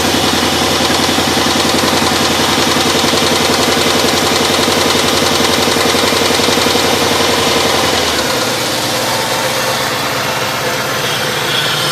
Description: Spun Bearing on a 1995 B Platform LT1 @ 278k miles.